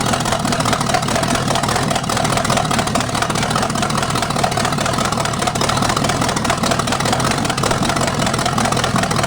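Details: 1973 Chevy 350 small-block with big cam and fuelie heads on open pipes: loud, raspy idle with a quick, even beat, no knocks or ticks; healthy, though the oil pan leaks at the front.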